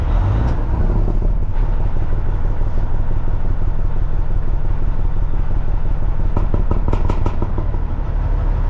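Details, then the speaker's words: Truck diesel, stage one (low) engine brake: engine holds a steady pulsing drone instead of dropping off. Fault under repair; owner plans to replace two solenoids. Cause not confirmed. "Well, this is stage one. This is the one I'm having the issues with. This is low."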